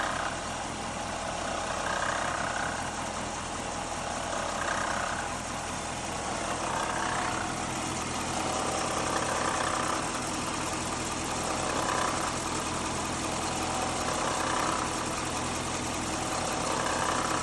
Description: This is the sound of a bad water pump on a 5.7 L Hemi.